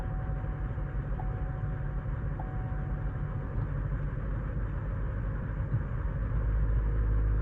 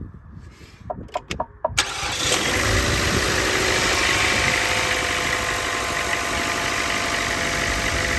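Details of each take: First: Chevy Cruze petrol engine fired up cold misfires with a deep, uneven stumbling idle, then runs fine; codes for multiple misfire and evap flow during non-purge, low oil pressure warning; later found faulty purge valve and loose spark plug. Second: Chevrolet Cruze after timing chain job, purge valve replaced and loose spark plug fixed, cold start: brief crank, catches cleanly to steady even idle, no misfire; brief low oil pressure warning quickly clears.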